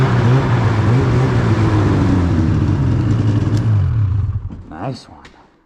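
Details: 2016 Polaris Indy 600 SP two-stroke snowmobile after replacing a plugged fuel filter and fitting an Ultimax belt: strong even drone pulling cleanly, then easing off and coasting down; running healthy, no stumble.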